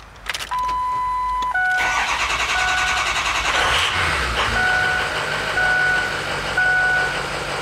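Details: 2003 Ford F-250 Super Duty 6.0 L diesel with hard start issues: starter whirs and labours through a long, uneven crank before the engine stumbles toward catching; slow, reluctant start.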